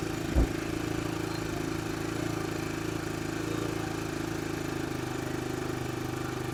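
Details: 2002 Honda TRX300EX single-cylinder, warming up after gas drained and refilled: steady putter with an even low hum and one brief knock early on; holds a smooth idle.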